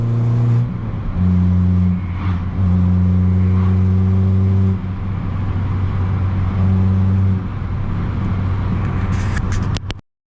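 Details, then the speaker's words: Modified 250 bhp Abarth 595 Competizione pulling hard through the gears under load with a loud, raspy, chuffing exhaust; the manifold-to-turbo gasket is blowing, losing back pressure and acceleration. "as you can hear on the way back up the gasket between the bottom of the manifold and the turbo is clearly leaking and that's where that noise was coming from"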